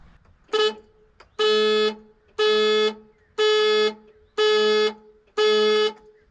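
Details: Abandoned Ford Falcon ute: an old immobilizer alarm trips and the horn blasts steadily about once a second, with the relay near the horn clicking each time.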